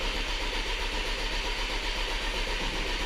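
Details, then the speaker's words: 2011 VW Tiguan 2.0 turbo, crank no-start with code 01259 (fuel pump relay open/short to ground): steady starter whir, even compression pulses, no firing; fuel pressure near zero and not building. "no fuel pressure because 60 is probably the lowest we can read oh there it goes see that we're not building fuel"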